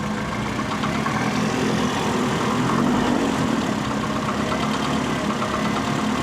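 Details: Mercedes W202 with M111.975 engine, just back from a garage overhaul (timing chain, gaskets, alternator, power steering replaced): steady idle with a dull knock at engine speed, owner suspects a worn fourth-cylinder piston; not burning oil, knock heard in cabin.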